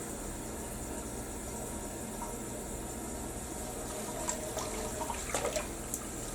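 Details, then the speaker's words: Toilet sharing a common drain stack, after drain cleaner was used: after the flush, water trickles and gurgles slowly in the bowl instead of draining away; a partial blockage remains. "okay that's no this should be draining down this should not this is not right"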